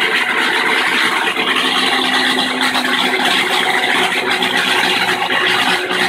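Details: Kenmore washing machine in spin cycle, agitator stopped while the tub keeps spinning: harsh rattling roar builds as the drum reaches full speed; cause was the nut holding the stator cover to the tub bottom backing off.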